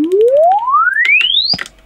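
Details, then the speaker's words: Alto TS310 2000W active speaker, after repair for no bass, loosely reassembled, reproduces sweep oscillator tone from low bass to high treble without dropouts or buzz; normal full-range sweep, fault was the amp not the driver. "happy as it was the amp and not the actual driver itself so that's that's a cheaper fix"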